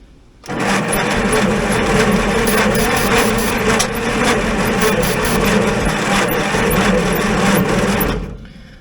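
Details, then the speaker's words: 1950s Roller, after cleaning a connection, cranked with ether, throttle setting unknown: turns over sluggishly, about two and a half beats a second for eight seconds, never fires; still cranking too slowly, no start. "yeah I think we're just still not getting this thing to crank over fast enough but cleaning up this connection definitely helped"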